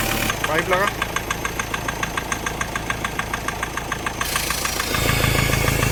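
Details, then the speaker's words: Mahindra Scorpio mHawk diesel at idle: sharp regular kat-kat tapping three to four per second returning after EGR valve pipe removed; extra air on cylinder 2, sound stops via EGR valve or turbo adjustment. "और यही सोचा होगा किसी ने ये piston नीचे गिरा करो स्टार्ट लेकिन अब इंजन में से cut cut cut cut sound आना चालू हो जाएगा"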